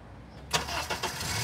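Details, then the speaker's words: Honda engine cranked with the crank sensor signal removed, running on cam sensor backup: starter whirs about half a second, roughly 261 ms measured, before the engine catches and settles to idle; extended crank. "i'm gonna do a situation now where i want to look at uh cranking the vehicle without a crank signal without a crank signal so here we go we'll start and take a look"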